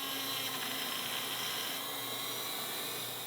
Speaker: Well, it seems the wheel came loose on the end of the spindle here a bit, and now that I think about it, I don't recall actually tightening it.